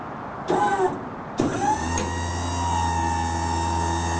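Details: Maxon GPT4 4000 lb tuck-away truck liftgate lowering from the top: hydraulic pump starts with a steady low hum and whirring tone as the platform lowers smoothly, even and unstrained; normal.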